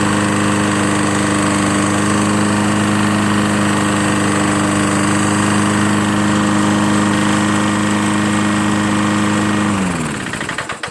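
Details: Lawn-Boy Insight 10682 21" Sens-A-Speed mower, Tecumseh 6.5 engine, run under a minute with very little oil: steady, even single-cylinder drone with a clean constant beat, no knocks or misses, smooth wind-down at shutoff; normal idle.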